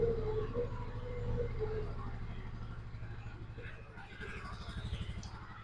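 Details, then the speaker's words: 2004 Polaris Ranger 500 4x4 idling in neutral after primary and secondary clutch replacement for hard shifting while running. Steady low throb with a soft clunk at gear changes and no grinding or hard engagement; sounds healthy. "So, we're in neutral now. Sounds better. Looks better. Runs better."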